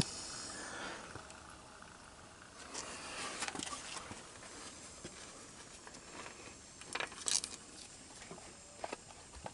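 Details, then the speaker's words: 1984 Honda ATC200M leak-down test, almost no compression: steady airy hiss of compressed air escaping past both intake and exhaust valves, valves suspected shot, result inconclusive pending teardown; finding: valve leakage on leak-down test. "seems to be leaking out of both yeah this thing uh this thing the valves are shot interesting"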